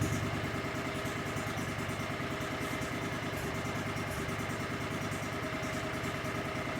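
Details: Cub Cadet 3205 tractor after rebuilding and reinstalling the damaged hydrostatic charge pump: small engine runs steadily and evenly with no misses or knocks; hydro drive works, air bleeding out, relief valves working.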